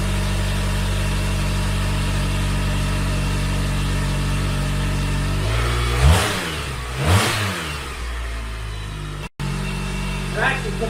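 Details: Car at first startup (owner expected smoke): steady deep idle, then two clean blips rising and falling smoothly with no rasp or rattle; healthy, sound exhaust note.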